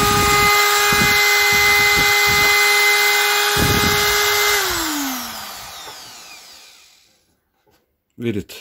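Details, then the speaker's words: Parkside PGS 500 A1 die grinder, 500 W, 220 V brushed motor, grinding steel boxes at their welded corner: steady high whine with rough grinding bursts, then a smooth falling spin-down; normal grinding under load. "Maintenant, je broie des boîtes en acier dans le coin où elles sont soudées ..."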